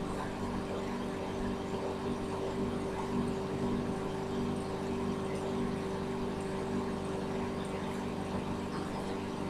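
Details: Microwave repaired for a faulty door switch that left it running with the door open, now running a 30-second test with water: a smooth, even hum holding one pitch, no buzzing or crackling, heating normally.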